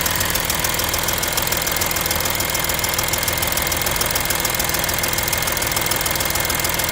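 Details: Audi A6 3.0 TDI at idle: sharp metallic tick about two per second, steady over a smooth diesel idle, loud on the passenger side of the engine. Cause still unknown.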